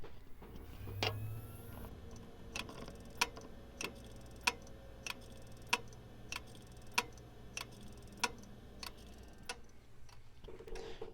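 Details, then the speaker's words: iBuyPower pre-built gaming PC that won't get past the iBuyPower screen; hard drive makes sharp, evenly spaced clicks about every 1.25 seconds over a quiet hum, suspected failing drive. Hard drive clicking. "yeah, that's the hard drive. I do have another drive I could swap it out with, but I think that's what's causing it to stay on this iBuyPower screen."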